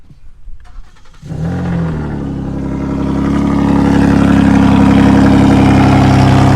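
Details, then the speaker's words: 2015 Ford Taurus Limited just after replacing a serpentine belt that fell off: quick crank, clean catch, smooth rising rev holding steady with no squeal or chirp; new belt and engine sound healthy. "So, all right, vlog. Let's actually start up the hypermobile. Let's get that belt going."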